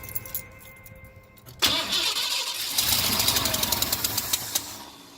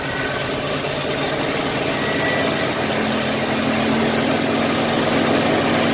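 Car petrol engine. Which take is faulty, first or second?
first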